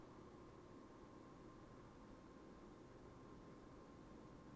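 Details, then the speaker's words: MSI Suprim Liquid RTX 5090 under load at about 71–73°C in a roughly 22.5°C room. Quiet, steady fan rush, slightly louder than the Founders Edition, with no coil whine; normal. "would actually say that is a little bit louder than the Founders Edition, but there's really not that much in it."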